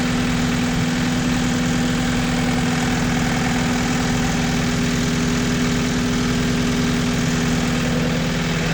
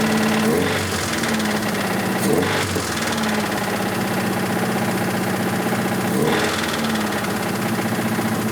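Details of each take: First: 1986 Toyota MR2 AW11 petrol engine after the last vacuum leak was fixed: a steady, even low rumble with no hunting or misses, a normal smooth idle. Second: 1986 Toyota MR2 AW11 salvage-yard parts car, after vacuum leaks were fixed: rough running with an irregular knock under mechanical clatter, sharpening on throttle blips; bad rod knock, engine declared toast.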